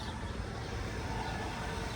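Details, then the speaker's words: 2010 Honda Pilot, 188,000 miles, first start after a couple of months parked, boosted with a booster pack: steady, even low rumble with no knocks, misses or surges; idles smoothly. "Wow, start it up. Okay, it's running. Runs real smooth. Okay, that's a plus."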